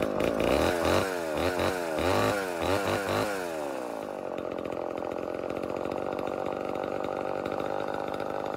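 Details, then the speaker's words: Vintage Homelite Super XL Automatic chainsaw two-stroke, before repair: sharp throttle blips fall back to an uneven, hunting idle that won't settle; owner suspects reed issue, later finding a reed with a piece missing and another gapped. "had it running and idling and i have a feeling it's got a read issue"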